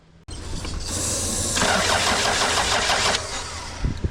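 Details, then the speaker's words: 1998 Toyota Camry, crank no start after snapped timing belt was replaced; injector pulse and spark present: about three seconds of quick, even cranking that never catches; valve timing possibly off; crank no start. "um what else now it could be the timing is off it is possible"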